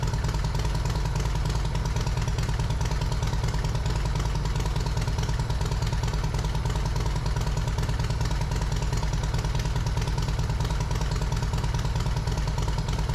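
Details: Yamaha Road Star Silverado 1700 V-twin after fitting new OEM ignition coils, plug caps, wires and spark plugs, slightly cold: steady, deep, regular lumpy idle, no misses or stumbles; normal idle.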